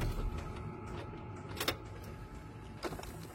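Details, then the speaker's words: Older pre-facelift Climatronic heater servo (V71/V113): small servo motor hums faintly with two sharp clicks; one flap moves but the main intake flap does nothing, a faulty flap servo. "Hej cvaká to a robí to tento zvuk vidíme že táto varianta sa nám krásne otvára zatvára ale hlavný prívod nám nerobí nič"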